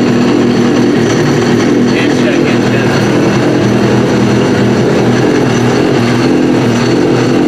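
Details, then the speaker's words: Trashed Yamaha RX-1 Mountain snowmobile with sensors disconnected, throwing temperature, oil and check-engine alerts, ridden about a mile. Steady, even drone with a smooth mid-pitched hum, no knocks or misses. Runs properly. "so yeah i mean it does seem to run pretty good"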